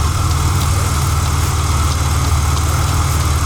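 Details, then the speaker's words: Supercharged engine at warm idle, smoking slightly and under a fire-risk recall: a deep, steady drone with a faint, light tap about every third of a second; the owner suspects the belt, not confirmed. "might be the belt yeah it might just be the belt here's our blower"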